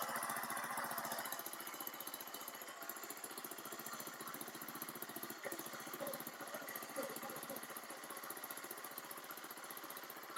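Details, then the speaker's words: Baja Dune 150 buggy with Chinese 150 engine, rejetted with a 110: fast, fairly steady putter with no stumbling or surging and slight smoke; running far better, normal running. "So I have rejetted this with a 110, and that is a million times better already. It fogs a little bit, like a little, but it gets up there."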